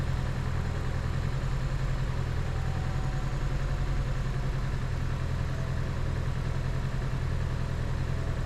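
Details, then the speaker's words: 2011 Chevy Cruze with new engine and new turbo idles with a low drone and an uneven skip roughly three times a second; misfire at idle, scanner showing four codes. "all right as you can see the car island down and there's the skip"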